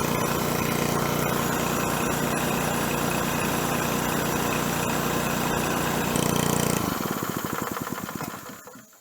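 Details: 1970s scuba tank air compressor restarted after new belt pulley fitted: even, steady engine beat with compressor chugging, then clean wind-down at shutoff; healthy normal running.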